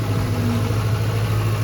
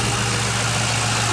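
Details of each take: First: 2005 Mustang GT V8 idling with a steady rumble and a faint constant whine from a failing alternator, linked to error code P0340; battery is new and car shut off during alternator test. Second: 2005 Ford Mustang GT idling after a P0340 camshaft-sensor code turned out to be the alternator; with the new alternator, serpentine belt and tensioner installed, it has a steady, even V8 idle with a smooth low rumble and no ticks, knocks or belt squeal: normal idle.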